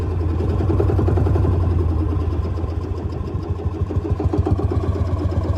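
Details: 1955 Lanz Bulldog D2402 single-cylinder full diesel tractor, glow-plug start: heavy, slow thumps at about 160 a minute settle into a steady, even beat. Normal start and idle.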